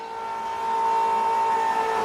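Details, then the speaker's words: Diesel pickup with DEF in fuel tank, not started; pump dropped back into syrupy DEF at tank bottom: mid-pitched electric whine grows louder and strains drawing the thick fluid. "And then we'll drop it back down into the DEF. This stuff is like syrup"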